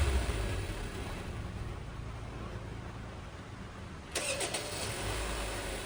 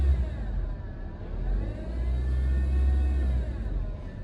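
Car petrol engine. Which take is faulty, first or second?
second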